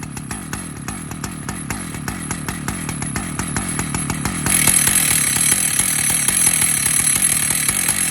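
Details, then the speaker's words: Stihl MS 880 chainsaw (121.6 cc, idle 2700 rpm) idling: a steady tick, then a louder metallic clatter as the worn clutch starts knocking; the clutch no longer works and must be replaced. "Ensuite, l'embrayage est toujours rétracté, mais à un moment donné, il commence à faire ça, il commence à cogner, et on entend tout ce"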